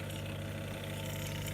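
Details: Bosch dishwasher not draining, with the drain pipe disconnected and a rinse cycle started: the pump starts with a steady unchanging low hum that doesn't sound right, then water begins filling. Abnormal pump start noise, cause unknown.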